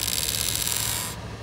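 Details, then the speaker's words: Ram ProMaster HVAC blend door actuator, located above the gas pedal, switching from hot to cold: thin, dry creaking rasp for just over a second; actuator motor teeth stripped, straining, to be replaced. "See it fail because the teeth are stripped on the actuator motor."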